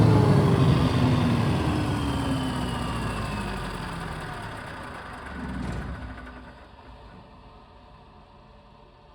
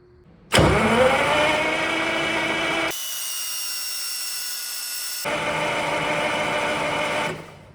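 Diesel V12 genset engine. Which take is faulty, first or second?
second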